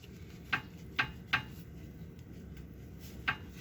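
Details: Toyota Avanza, clunk from the right front when braking. The owner suspected the brake pins or pads, but the cause is a loose tie rod end. Rocking the steering linkage by hand gives sharp, irregular metallic knocks. The other side is also slightly loose, so both should be replaced.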